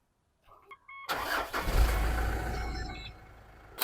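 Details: Car jump-started with a Topdon JS1200 lithium jump starter in boost mode at 25% charge during repeated tests: short burst of cranking catches quickly into a firm low rumble easing toward idle; starts cleanly.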